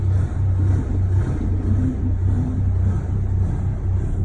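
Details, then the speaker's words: 2016 Ram 2500 6.7L Cummins, 68RFE automatic, ~115,000 miles, deleted: low lumpy diesel idle lope, mild in park but worse in reverse or drive, shaking the truck through the drivetrain; clears above ~15-20 mph; cause unknown. "it's not nearly as bad it's not nearly as bad when it's in park the real issue starts when I put it in reverse or drive"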